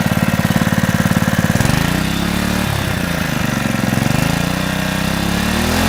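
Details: Honda GX120 small single-cylinder engine reassembled after the head was taken off to inspect the piston, one bolt left over: starts first pull, quick chuffing settling into a steady, even beat of about three per second; owner notes a slight exhaust valve flutter.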